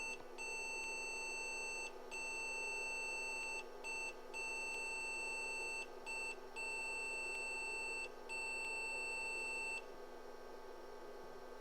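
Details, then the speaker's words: IBM PC/XT Model 5160 POST beep code: run of high beeps, long tones meaning 1 (failure), short meaning 0, indicating nearly all 4164 DRAM chips in bank 0 failed except one or two. "beeps so some bits short some are long short corresponds to zero long corresponds to one"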